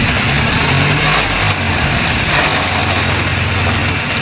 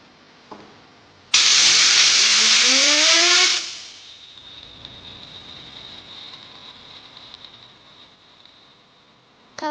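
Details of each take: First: BMW R1200GS boxer, 10 years and 85,000 km: idling with gritty, sandy grinding/rattle when the clutch is pulled; clutch drags and neutral is hard to find. Teardown found a failed gearbox input shaft bearing. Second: Bearing from a 10-year-old BMW R1200GS boxer at 85,000 km, spun by air on the bench: a normal one whirs silky smooth with no rattle, unlike the worn one that rattled; the gearbox input shaft bearing was found damaged.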